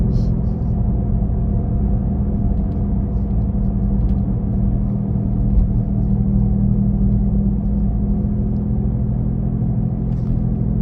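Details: 2017 Nissan Leaf: deep, steady engine-like rumble with low hum from the rear under road noise while driving, loudest at 40-50 km/h but present at other speeds; source unclear, owner asks if normal.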